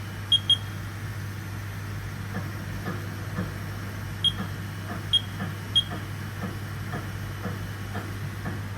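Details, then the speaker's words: Older Haas VF1 CNC mill with gearbox issue, M41 commanded in MDI; steady low hum, faint clicks about twice a second and beeps as spindle gearbox hunts for low gear, never engages, then alarms out. "Now it's trying to find low gear and it's just not going to find it. It's going to alarm out."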